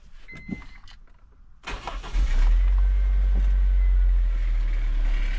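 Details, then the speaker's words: First-generation Honda CR-V that sat unrun for years starts after a fuel pump replacement: short crank, then a steady, even low rumble at idle with no misses or knocks; healthy start and idle. Previous owner reported a possible transmission issue. "Yes, sir. Sounds healthy."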